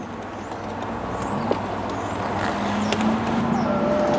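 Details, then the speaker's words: 1996 Chrysler Sebring JXi convertible power top operated after unlocking the latches, with the windows lowering slightly first: a low electric motor hum rises steadily with small linkage clicks, and the top works normally. "Okay. So, and there you have it. Convertible top does work."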